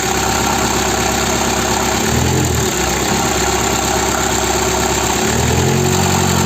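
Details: Peugeot/Citroën 1.9D DW8 diesel, started from cold after replacing the injection pump's leaking advance solenoid valve and its connector: steady clatter with light fast ticking, even and settled; normal idle.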